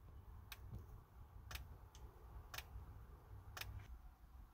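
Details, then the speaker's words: Hyundai Ioniq plugged into a powered charger: relay clicks about once a second over a low cabin hum as the charge port lock actuator cycles but fails to lock. The dash shows plugged in but no charging; the manual lock release handle is in the boot. "so as you can see the charger is plugged in is powered on okay so just gonna plug the charger in but if you can hear you can hear the relay clicking"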